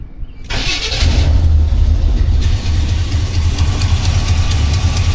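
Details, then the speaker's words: Cold start during Holley carb choke testing (the 1985 C10 or the Suburban just checked): the engine catches, then a loud low puff at each firing pulse over the idle; a recurring exhaust leak has returned. "That exhaust leak came back. We'll be addressing that real soon."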